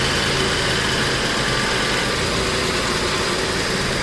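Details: 1989 Buick Reatta 3.8L with stalling, hard start and rough idle after many new parts, just restarted after reconnecting the battery: steady, even idle with smooth hum, no misses or stumbles; sounds better.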